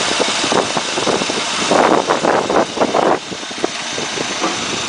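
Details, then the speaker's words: 1981 Chevy K30 one-ton single rear wheel truck with a swapped-in 4.3 V6 (replacing a 292 inline) and NP833 overdrive transmission, just refired and idling in neutral, with light uneven puffing and ticking from a couple of small exhaust leaks. "like I said it's got some exhaust leaks but we're getting there okay make sure it's in neutral we've heard other than a couple little exhaust leak years at school"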